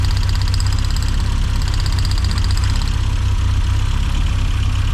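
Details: 1990s Mini Cooper S Sport 5, hot engine idling after new plugs fitted, low and uneven with a slightly lumpy beat and no clear knock. Ignition seems okay; owner suspects a fueling fault via the Siamese ports, unconfirmed.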